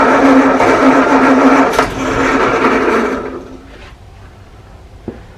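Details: 1937 Morris 8, 918cc pre-war engine being recommissioned: starter churns steadily about three seconds without a catch, then stops; owner thinks diesel down the bores oiled up the plugs; no start.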